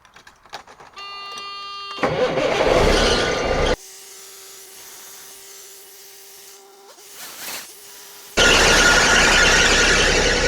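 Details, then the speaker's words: 1989 Freightliner cabover diesel at start-up after an oil and filter change, oil about a quart over full: loud rough roar with a high steady belt squeal persisting despite the belts being tightened, cause unknown. "So I know you guys hear them belts squealing. Man, I wish I could figure out what's going on with that."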